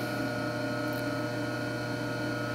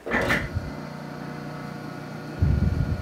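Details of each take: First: Clausing 5913 lathe variable speed drive, after new belts and bleeding the hydraulics, partly disassembled and not bolted down: a steady fine hum with a low drone, a vibration felt through the floor; source unconfirmed, possibly the upper belt or clutch. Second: Clausing 5913 lathe drive motor run on the bench with all belts removed to isolate a headstock vibration: smooth, even hum, no knock or rising vibration, a few handling thumps; vibration minimized, motor judged not the cause; normal motor run.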